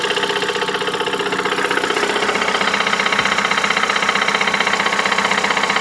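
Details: 2008 Ford Mondeo Mk4 2.3 L engine, 203,000 km, idling: sharp, even knock about twice a second locked to engine speed; an internal engine knock of unknown origin.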